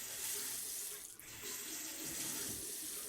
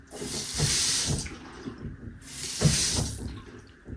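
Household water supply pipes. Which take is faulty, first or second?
second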